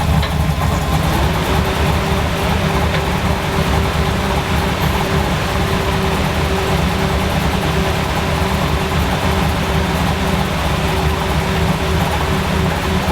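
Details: K20 truck idling just after its initial start-up, still cold and warming up, following a new fan assembly, wiring and reservoir: a low, smooth rumble holding steady with no knocks or misses. Healthy.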